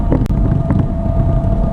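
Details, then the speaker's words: 1987 GMC Vandura driving, getting louder as speed rises: constant low roar, like an airplane taking off, with a faint steady hum over road noise, no clunks and no vibration; a worn rear axle bearing. "It sounds like an airplane taking off going down the road. But it makes no vibration whatsoever."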